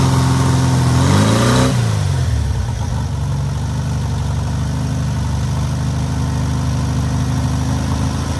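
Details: Newly rebuilt air-cooled VW 1600cc flat-four on its first start and break-in: a quick rev falls back to a steady, even idle with a smooth low thrum, no knocks or misses; normal idle.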